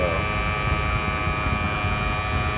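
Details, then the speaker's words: 2007 Prius electric AC compressor, system low on refrigerant after DIY charge, discharge line over 200°F, high side 106, low side 55: high, steady whine at about 6,000 rpm without easing off. Compressor overspeeding due to low refrigerant. "that thing is just winding away at like 6 000 rpms it's trying to cool because the way this was designed with the software it's trying to satisfy the customer it does not know that it's low on refrigerant"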